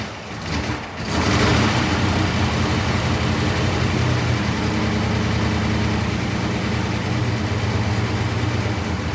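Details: Idle is lumpy with an uneven chuff and a stumble every few beats plus rattling from the exhaust cutout underneath; one cylinder dropping out, spark or fuel cause suspected, not confirmed.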